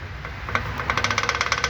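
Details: Corsa engine at idle: sharp, even knocks about eight per second ride over the idle; rod knock, suspected spun rod bearing on the crank, heard before teardown.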